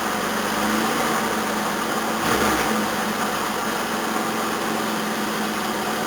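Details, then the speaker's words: 1981 Toyota Corona RT132R, 18R-C engine, cold start about 10°C, choke turned down one stage: uneven, lumpy, shaking idle, bonnet wobbling; valve clearances found too tight, almost no tappet movement. "Let's turn the choke down one stage. Yeah, it's not running very well. It's about to show the bonnet wobbling around everywhere."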